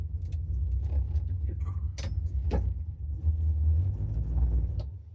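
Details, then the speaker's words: '67 Buick LeSabre V8 while driving to a gas station; lumpy, uneven low rumble like running on four of eight cylinders; choke stuck fully closed, running too rich, sooting, then died; rich-running misfire from stuck choke. "Um, something's going on with the choke. The choke wanted to be fully closed. So, the car was running too rich and it died and it was making a lot of soot."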